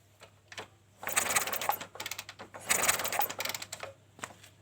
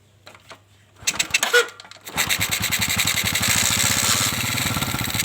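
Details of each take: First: Kawasaki Kaze motorcycle used for hauling goods in mountains, lost ignition: two bursts of busy mechanical cranking that never catch; no spark at the coil. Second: Kawasaki Kaze with lost ignition, tested with spare parts, CDI suspected, strong spark at coil: two brief cranking bursts, then the single catches and settles into a steady, even, crisp exhaust beat; normal running.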